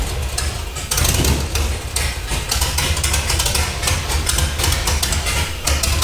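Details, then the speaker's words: Off-road build project after adding missing chassis ground for the fuel pump: engine fires and runs loud and steady with a deep even rumble, shaking a little; normal running. "that sounded amazing a little shook shaking a little bit"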